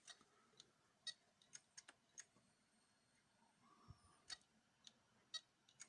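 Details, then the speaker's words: Replacement 750 GB hard drive installed in Toshiba C875 laptop: faint irregular sharp clicks over near-silence as drive barely spins up, refuses to start; failing hard drive clicking, judged dead. "Je pense que vu le bruit qu'il fait là, à l'heure actuelle, pour moi ça ne sert à rien de le lancer, hein."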